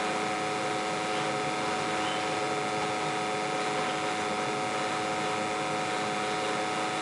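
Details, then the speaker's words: Boiler in Clearwave water treatment experiment, light-off after filling with cold water, boiler dirty and due for cleaning: constant even roar and steady hum, no surging or popping; burner firing cleanly and stably. "yeah want to see a nice clean light off versus boiler is filthy it needs a cleaning but is what it is"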